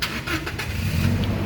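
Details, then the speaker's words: 2018 Toyota Kijang Innova Reborn 2.0 G manual, about 97,000 km, started in neutral with clutch pressed: quick clean catch settling straight into a steady low run with no stumbling; healthy start, no sign of weak battery or starter. "Pada saat kita starter mobil, pastikan bahwa nyalanya itu jreng. Karena apa? Kalau dia nyalanya tersendat, berarti ada kemungkinan permasalahannya bisa jadi di akinya sudah swak atau dinamo starternya yang bermasalah, jadi perlu diservis."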